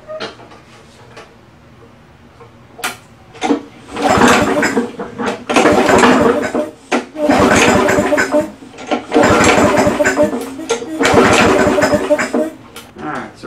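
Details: Free old push lawnmower with starting problem, oily and with an old, slow primer bulb: repeated rope pulls, short whirring cranking bursts with no firing; won't start, air filter found fully clogged, timing issue also suspected.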